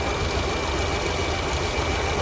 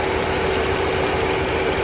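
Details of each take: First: Tata Zest petrol idling with heavy misfire and hunting, no throttle response, check lamp and temperature light blinking; cylinder 4 misfire. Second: Tata Zest petrol idling steady and smooth with the AC on, no stumbles, after diagnosing a cylinder 4 misfire (P0304) by checking injector wiring and spark plugs; the fault codes had become historic and the spark plugs were not at fault.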